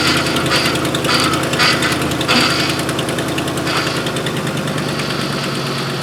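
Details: 2005 Ford F-150 with tow package after replacing the power steering cooler-to-reservoir return hose, turning lock to lock: rough pulsing groan over the engine as the pump is starved; it took a lot of fluid, no leaks.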